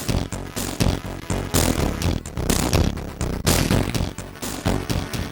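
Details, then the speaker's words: Amiga 1200 owned from new since 1992, not yet recapped: a tune plays with a harsh, buzzy crackle on every note across all voices; distorted audio, traced to a corroded via near a leaked capacitor in the audio circuit. "This is my Amiga 1200 and I've owned it from new since 1992, and sadly that horrible noise was comming from it! Recapping it had long been on my to do list but then the audio became corrupt."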